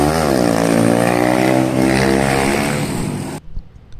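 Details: Yamaha Jupiter MX single with a PE28 carburetor, after carb setting for hard starting: it revs up cleanly and drops back smoothly with an even firing beat and no misfire or hesitation; normal running and revving.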